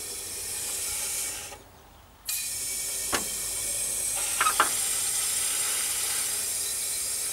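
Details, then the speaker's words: Rivacold refrigeration unit, compressor cycling on thermal overload, electrics and windings fine, gauges showed no refrigerant, oil under box: nitrogen added gives steady high hiss with clicks; suspected rubbed-through hot gas loop in defrost condensate tank. "hear that coming out somewhere i think that might be in the um condensate tank there's a tank here where the water drains from the freezer when it defrosts there's a hot gas loop in there quite work it's probably rubbed through"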